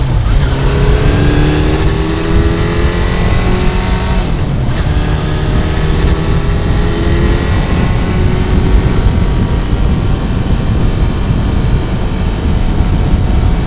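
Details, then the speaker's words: Kawasaki four-cylinder bike, warm, after fixing cylinder 1 not firing (found via wet paper on the cold header; plug caps had been disturbed): revving cleanly and settling back, no misfire or knock standing out, running properly though fine-tuning remains. "na hát ennyi volt végre úgy megy ahogy ennek mennie kell így legalábbis nagyjából"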